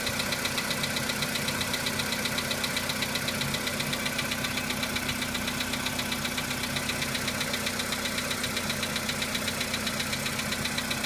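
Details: VW Polo Sedan engine at cold-start idle: steady, sharp metallic ticking knock about four per second; knock fades as the engine warms up, cause not identified.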